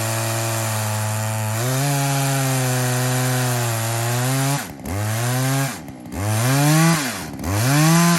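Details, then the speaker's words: Poulan 2075C chainsaw (owner thinks 32cc, 16-inch bar, safety chain) after a carb mod and tune, cold morning at about 15°F: it screams up crisply, sags steadily as the bar bites wood, then recovers cleanly between cuts. It runs normally under cutting load. "We're gonna run through this, make sure it's cutting. I ain't really too worried about the chain. I really just need to make sure the motor itself is running okay and it'll fire up."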